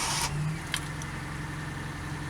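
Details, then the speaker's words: 1987 Fiat Panda 4x4 Sisley, ex-farm car: quick crank catches cleanly and settles into a quiet, even idle with a steady low hum; engine starts and runs properly, smoother than the owner's other 4x4. "yes these engine sounds seamless I mean when I start my over 4x4 it does sound a bit ratalie and a bit I mean there's no problems with it at all but this just sounds like it works properly"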